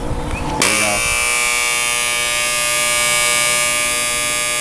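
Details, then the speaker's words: Fairly new battery charger: harsh, loud transformer buzz starting at plug-in and holding steady, caused by loose laminated transformer plates vibrating. "the Transformer is buzzing very loudly because these plates here these plates ha"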